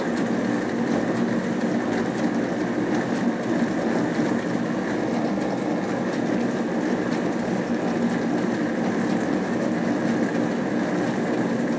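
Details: Hotpoint Aquarius+ FDW70 dishwasher on a test wash after a faulty part was replaced, checking the heater works. Steady even rush of water spray over smooth pump hum, no knocks, grinding or squeal; washing normally, water hot.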